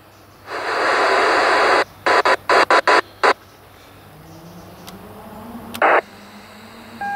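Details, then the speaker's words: Yaesu FT-817: bursts of harsh warbling noise cut on and off in short blocks, with faint whistles between, likened to a ZX Spectrum loading. Whining, data-like receive audio, cause unknown. "i can describe it noise is a zx spectrum trying to load"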